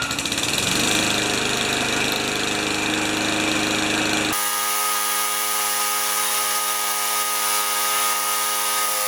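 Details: 1970 Craftsman Eager mower with a Tecumseh engine, 51 years old, restarted after a temporary wire fix: the small single-cylinder engine settles into a steady, even drone with no misses or knocks. Normal running.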